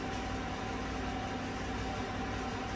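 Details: 2016 Chevrolet Silverado Z71 4x4 5.3 V8, about 135,000 km, after replacing all right-bank lifters for a collapsed #6 exhaust lifter (tick, #6 misfire); misfire count at zero; quiet, smooth idle with even low rumble and no tick or stumble; runs normally.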